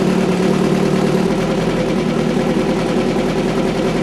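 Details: VW 2276cc air-cooled flat-four in a buggy after new pushrod tubes, sand seal and CV boots: steady, even idle with low throb and no knocks or misses; normal idle.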